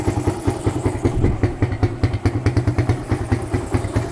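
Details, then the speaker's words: Suzuki Satria FU single-cylinder with PE28/PWL 28 carburettor, cleaned, main and pilot jets changed, air filter not fitted: starts first press, quick even idle putter with light exhaust pop, no knocking; idling normally. "Oke sekarang kita Nyalakan ya Oke ini hidupnya enak ya Sekali starter langsung hidup"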